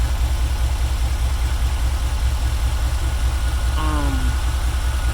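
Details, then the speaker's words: 1994 Chevrolet Caprice V8 that had crank-no-start from 20-year-old gas now idles on its own after fuel filter change and octane booster left in the half tank over a weekend; fuel pump not yet replaced. Low, steady, even rumble with no misses or knocks; normal idle. "so it's it's been running it's pretty low but it is running on its own doesn't sound bad"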